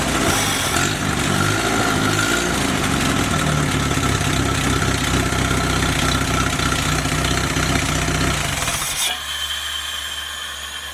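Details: Freshly rebuilt F-head engine with a new, adjusted carburetor, warm at 165 degrees with good oil pressure, not yet under load: fires right up and settles into a steady, even idle; timing close; normal start and idle.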